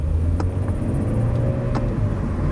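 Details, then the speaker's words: 2016 truck with magnetic ride suspension, 150,000 miles, test-driven at auction, shifts and runs fine: over low road rumble, two sharp hollow thumps about 1.5 s apart knock from the rear; cause unknown. "well there's something in the rear like it's a hard thump okay I'm gonna turn it around dang it"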